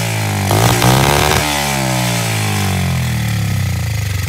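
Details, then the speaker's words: SSR 70 pit bike, dirty uncleaned carb, Italian tune-up after starting fluid: a loud, buzzy single revved hard, then it runs and idles with an uneven, ragged beat. Rough running. "This thing's running and idling. It doesn't sound great, but it's definitely alive."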